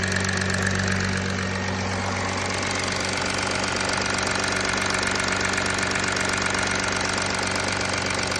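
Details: Audi A4 B9 272 PS cold start: steady cold idle with an even, fast ticking clatter over the engine hum; odd cold-start engine noise, source not pinned down.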